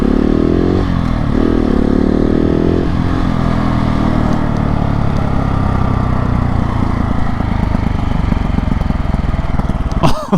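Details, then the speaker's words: 2020 KTM 690 SMC R with Arrow exhaust (dB killer and catalyser), open airbox, new 15-tooth sprocket: revs, then a loud crackle and popping from the pipe on engine braking; rider unsure whether the sprocket causes it. "when the bike is slowing down and i'm engine braking the noise i'm getting from the exhaust is way more like way louder and i get a lot more popping which sounds freaking amazing"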